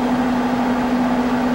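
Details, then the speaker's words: AMD FX8350 CPU after replacing its noisy stock heatsink fan, which sounded like a single-prop plane, with a Cooler Master Hyper T2; all eight cores at about 80% load; steady, even airflow rush and low hum, no rattle, much quieter than before. "it's a lot quieter than what it was before that that one prop propeller plane sound was just not good for what I was doing"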